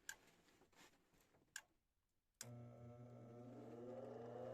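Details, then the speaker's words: Gas furnace after blower motor replacement, which had made a loud screeching sound: a few soft clicks, then the inducer motor kicks in with a steady low hum and a rising tone as it spins up before ignition; normal healthy start sequence. "all right that's the inductor coming on wait for the ignite to delight right then it's gonna turn on the furnace"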